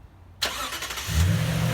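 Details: Normal engine start on a 2019 Toyota Tundra, remote-started with the key fob (three presses) after installing a Start-X remote starter: quick crank, catches within a second, then a steady low idle with no misses or odd noises.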